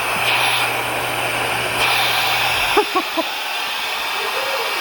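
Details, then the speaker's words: Sherp ATV in the shop after breaking through river ice: loud steady hiss of escaping air over low engine hum, then hum stops; tire losing pressure from leak at outer beadlock ring, possibly dislodged. "Okay guys, we got her in the shop, and as you can hear, it's quite a leak, isn't it?"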